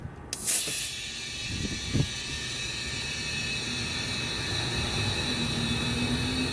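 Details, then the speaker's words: Boost leak test on a Dodge Caliber SRT-4 intake side, pressurised to 10–15 psi with soapy water: steady high airy hiss as pressure holds and slowly drops; owner suspects the HKS part is leaking, found during intake manifold gasket work. "It's 15 pounds. I think my HKS is leaking."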